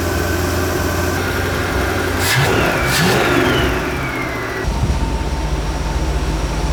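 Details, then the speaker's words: Big-block V8 (swapped in) after idle mixture screws corrected, rear needles opened up from fully in: brief rev, then drops to a steady, even idle with no stumbling, running smoothly. "so the backs were completely in even though I backed them out a full turn there was no fuel getting them once I opened up those back needles man this thing is great now just great"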